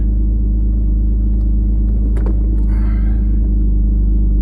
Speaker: okay you'll hear the car is a bit loud I have a bit of an exhaust leak and I weld and I can't get to it because it's like behind the motor